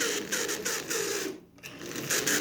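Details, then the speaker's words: Marx 400 toy train locomotive, sat unused for years with frozen wheels: dry, raspy whirring chatter in bursts, briefly dropping out; bone-dry motor gears galling, fixed with oil and a shot of WD-40. "So a good shot of WD-40 down in those gears, and that's where the problem was. Those gears are dry as a proverbial bone."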